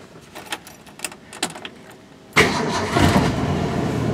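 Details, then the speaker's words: 1965 Mustang straight-six just out of long storage, odometer showing 25,000 miles (true mileage unknown), still on old points, condenser, fuel pump and hoses: light clicks, then it catches at once and settles into an even idle; clean start. "Typical 6-cylinder though. Fires right up."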